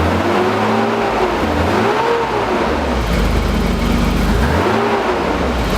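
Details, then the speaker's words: BMW E28 with M30 inline-six after valve adjustment and new spark plugs: climbs and drops through several revs evenly, no ticking, knocking or stumble; healthy. "Alright, got everything ready to go. Let's see if it still sounds like a sewing machine."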